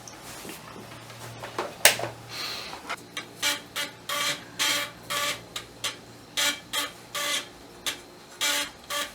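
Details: Amiga 1200 floppy drive reading a Workbench disk; quick chattering head steps in even bursts about twice a second over a quiet room; reading normally.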